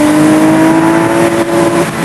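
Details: Mid-mounted, water-cooled 2.5L flat-six making 204 hp, revved hard after dropping down a gear or two. It gives a strong, clean howl at a steady pitch under load, smooth and even: a healthy engine.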